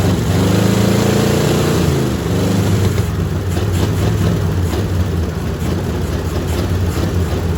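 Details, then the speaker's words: Old 350 V8 on open headers, run on a gallon of gas: loud, lumpy idle with an uneven stumbling beat; owner suspects it needs a tune-up and is missing on at least one cylinder. "It's just an old open headers 350 that needs a tune-up and probably missing on at least one cylinder, but, but let's see what we can do here."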